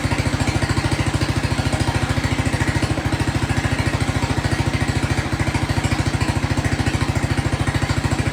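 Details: Jacobsen Chief 1200 tractor, cast-iron Kohler 301 single, after sitting about 3 years; aftermarket Chinese carburetor adjusted. Even, regular single-cylinder thump at a steady idle with no misses or stumbles. No smoke; normal idle.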